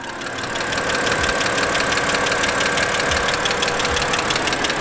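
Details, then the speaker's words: 2008 BMW X3 3.0L at idle under the hood: quick, even light clicking, about three a second, over a steady idle; a top-end tick whose cause is not yet known. "definitely got some kind of clicking sound going on if you can hear it you"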